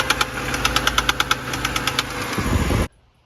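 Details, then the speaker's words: 2011 BMW 328i xDrive N51, about 115,000 miles, bought with a blown engine: sharp, uneven knocks about three a second over the idle that fade in and out; rod knock from spun bearings, engine to be replaced. "it's inconsistent it's like all over the place sometimes it goes away sometimes it comes back"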